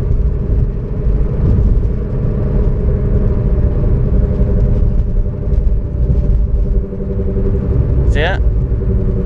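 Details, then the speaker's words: 2003-2013 Toyota Corolla driven at about 35-40 mph: steady low drone and hum over road rumble, growing louder with speed and when turning left, from the driver side front; bad wheel bearing, felt rough when spun by hand. "I can hear that starring louder and louder when I'm hearing about 35-40 but let's go and drive more it sounds like coming from the driver side"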